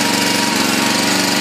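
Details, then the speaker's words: Honda 5.5 single-cylinder on a used log splitter after welding repairs and tank cleanout: steady, even buzz, no surging, knocking or misfire; runs healthy. "but as you can see it's got a honda 5.5 a good running motor"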